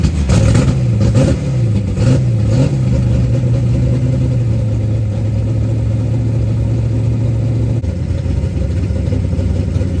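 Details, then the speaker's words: 1990 Lincoln Town Car 5.0 (lopo shortblock, Holley 650 DP carb, GT40 heads, Cam Chowder cam, BBK long tubes, MSD ignition) at first fire: quick throttle blips rise and fall cleanly, then an even, steady V8 idle with no misses; normal idle. "I mean honestly it sounds a lot better runs a lot better than I thought it was going to so I'm actually pretty happy"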